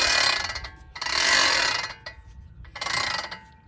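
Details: 2004 Ford F150 4x4 vacuum-operated front locking hubs not engaging: three bursts of dry, rapid ratcheting clicks as the wheel turns; hub not locking in.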